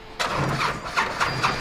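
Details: 2007 Liberty XL-2 aircraft engine, parked for years, started after bird-fouled starter connections were cleaned: the starter whirrs briefly, then uneven firing pulses build into a steady run, a clean start.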